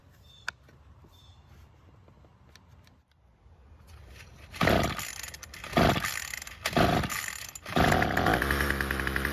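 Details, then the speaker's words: Bolens string trimmer two-stroke that wouldn't start, with a clogged carb screen and brittle fuel parts: fuel is poured into the carb, and after a few pulls it buzzes in short rasping bursts, then holds a rough idle. "Now that we know that it starts and runs, we can begin the process of getting the fuel system back in working order."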